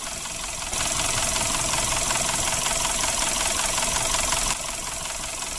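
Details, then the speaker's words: Suzuki Ertiga engine with sludged oil passages, cranking and idling: rough, fairly regular ticking knock around 160 per minute, persisting after oil change; fix is cleaning oil passages. "pada saat starter itu timbul suara kasar ya seminggu suara kasar seperti ini trouble Ertiga suaranya seperti ini"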